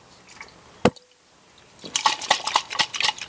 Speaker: uh-oh this is the bottom part and there's water sloshing inside which tells me it's it's not really good the water is not coming out anywhere but